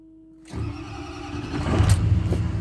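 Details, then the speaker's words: 2006 Ford F250 6.0 diesel, which only idled with no throttle response, after the shorted MAP sensor was disconnected: cranks, catches quickly, steady even idle, throttle now responds. Normal start and idle. "okay running it's idling and let's hit the throttle yes sir that was the problem"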